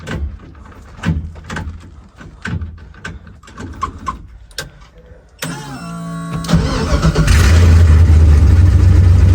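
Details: Car after a bad ground fault was fixed: quiet clicks, quick crank, catch and loud rough rev with a raspy exhaust note from an exhaust leak, to be welded.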